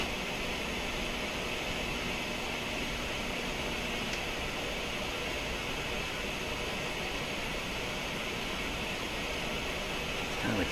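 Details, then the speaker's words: Yorx M2340 AM/FM 8-track stereo on FM: steady hiss with faint irregular clicks; owner suspects the stereo decoder switching on and off inappropriately, though the stereo light isn't flashing. "like staticky, clicky kind of sound coming out of here. What I think it is, I think it's the stereo decoder being triggered inappropriately."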